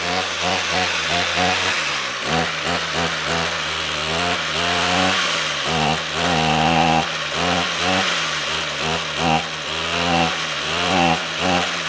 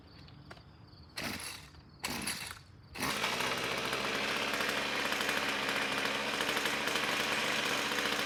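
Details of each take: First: Trash-picked Ryobi two-stroke string trimmer after draining stale fuel and adding fresh: buzzy engine that won't hold steady revs, surging and sagging; has spark and compression, fuel delivery issue, carburetor suspected needing cleaning. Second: Ryobi string trimmer, about four years old, pulled from trash, two-stroke with rebuilt air box: two pull-start rasps, then it fires and holds a steady high buzzing run without sputtering; runs healthy.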